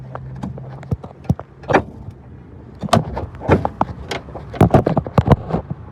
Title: 2013 Ford Escape Rear Clunking Noise Find !!